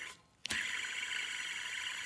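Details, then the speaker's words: Toyota Camry belt tensioner removed from the engine, spun by hand: flick then a steady gritty high-pitched whir from a worn bearing inside the pulley. "That's a bad pulley. Bearing inside."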